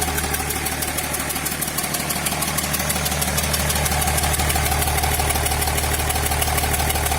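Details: Diesel idling with a sharp, steady knock about three a second over the low rumble; the knock persisted after an injector replacement.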